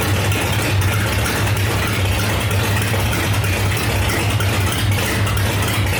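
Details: 1968 Dodge Dart with 5.9 Magnum V8 (aftermarket heads, big cam, tunnel ram), first fire-up in about ten years with no exhaust fitted: loud raw open-pipe burble with a lumpy cam beat, strong and steady without misses or knocks; normal open-exhaust running.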